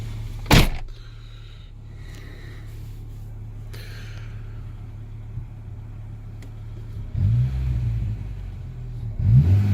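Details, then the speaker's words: Mk1 Renault Clio RN 1.2 D7F, mild 10-12 °C evening, suspected idle control valve problem: steady low idle with a couple of brief throttle blips, no hunting or stumbling; running okay at the moment. "So it sounds fantastic. It's actually running. It's running okay."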